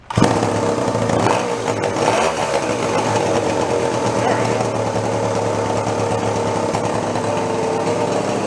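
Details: Scratch-built steampunk moped with a small single-cylinder engine (possibly a 1942 unit, about 2 horsepower), first run after storage: fires up and settles into a steady, even buzz with no drag or stumble; runs normally.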